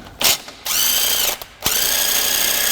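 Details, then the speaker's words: 1998 Mazda 626 front suspension, collision-damage repair: a bolt is spun in its bore with a 13 mm socket on an impact, giving two smooth high whines with no hammering. The bolt spins freely and will come straight out. "Now that we've got the nut off, I'm gonna spin this bolt inside of this bore so that I'm sure that it'll go in and out easily."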